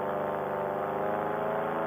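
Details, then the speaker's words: Air Conception Tornado 280 paramotor two-stroke after rebuild for broken piston, scored cylinder and damaged head (recall), kept under 6000 rpm in flight; smooth, steady high-pitched buzz, no misses; mixture to be richened slightly for safety. "the flight went great engine sounds good we're gonna rich end up a little bit make it a little bit safer to fly for now"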